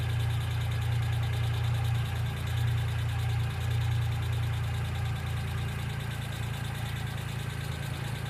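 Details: 1995 Geo Metro at steady low idle: light, fairly regular tick of roughly three per second. Valvetrain or lifters are suspected, not confirmed. B-12 fuel injection cleaner is added to the engine oil before an oil change.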